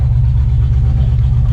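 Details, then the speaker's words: C4 Corvette V8 after replacing the plastic brake booster with a steel one, vacuum leak gone and throttle response better; deep, even rumble with light blips, no hiss or stumble; normal running. "the vacuum leak is gone [Music] [Music] we respond a whole lot better"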